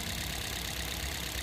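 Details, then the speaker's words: Toyota Vios 2nd gen with misfire and heavy vibration, after replacing one dead ignition coil with an original surplus coil: steady, even petrol idle around 700 rpm, aircon blower fan on, no stumble; normal idle. "maganda naman yung kanyang RPM nasa 700 yung RPM niya natin yung aircon blower fan tapos yung kanyang term Store Ayan N is guys oh steady lang yung kanyang RPM yun"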